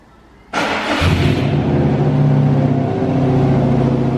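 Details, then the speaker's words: Subaru WRX with its rear silencer (back box) removed, revved during brake upgrade work: fires and revs hard into a loud, deep, unmuffled boom, rough at idle; loud exhaust. "Oh damn! Do it again. Who needs back boxes these days? What's a back box?"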